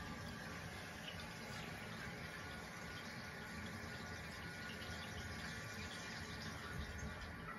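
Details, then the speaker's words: Toilet that had been running continuously after flushing, just fitted with a new Fluidmaster 400H fill valve and water reconnected: steady even rush of water refilling tank and bowl through the fill pipe, normal working fill valve. "You can already hear it filling up the toilet. So you can see here what I was talking about. Water's flowing into the pipe. That's filling up the bowl of the toilet."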